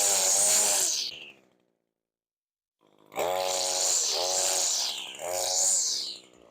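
Small two-stroke revs in clean bursts with a pause between, picking up crisply and holding even; a healthy brush cutter.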